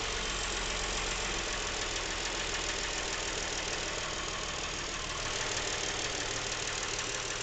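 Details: Nearly new Lincoln MKX with 7,000 miles: faint, uneven tapping knock about three per second at idle, present since new and getting worse. It seems to come from the back of the engine; the dealer could not hear it. Cause unknown.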